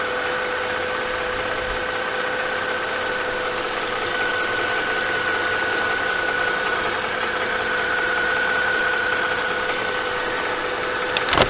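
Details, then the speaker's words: Mercedes-Benz S211 with M272/M273 engine after oil pickup tube O-ring replacement cured the cold-start rattle: warm idle at 800 rpm still has a rhythmic metallic tapping about four per second, present up to about 1200 rpm; cause unknown. "however once the car is warm and idle drops down to 800 RPM very noticeable like rhythmic metallic tapping noise is still there"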